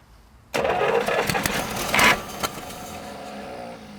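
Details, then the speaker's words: 1937 Buick Special straight-eight, sat for decades: starter spins hard about two seconds, engine coughs once then dies; cranks but won't start; suspects sticking carburetor float, fuel possibly boiling. "it looks like our uh float sticking cuz it looks like it might be boiling"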